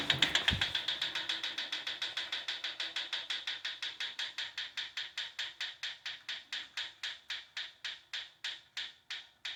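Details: Proform Power C7L iFit exercise bike: sharp even ticks about four per second from the flywheel area, slowing as the wheel coasts down; always present, getting louder and more frequent as wheel wobble worsens. Bolts tight, no visible rubbing.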